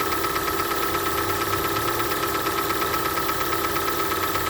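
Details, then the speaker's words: Hyundai ix35 petrol engine on cold start: light rapid ticking about twice a second over idle, quieter as it warms but a rustle still heard hot; owner suspects hydraulic lifters, not confirmed. "так вот эта машина моя супруги и на холодную начался вот такой стук потом машина прогревается стук становится тише"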